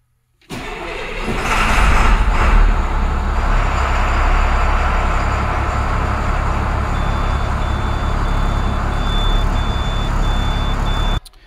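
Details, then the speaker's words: 2005–2007 International DT466E school bus diesel during no-start troubleshooting: cranks briefly, fires cleanly and holds a steady idle with faint regular ticking; a normal start for reference. "so that's what it should sound like when you're starting"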